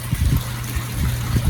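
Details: Seawater cooling discharge from the running crew cabin marine air conditioner on a 1988 Hatteras 65C, with the water pump and compressor running and cold air produced: steady surging splashes with no sputtering or air gaps. Healthy flow.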